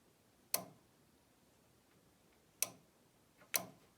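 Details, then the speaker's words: Dehumidifier heat-pump reversing (four-way) valve being shifted: three sharp, isolated clicks in a quiet room as the slider snaps across; valve moves and is shifting properly. "But oh, I just heard it move there. Okay, that's interesting."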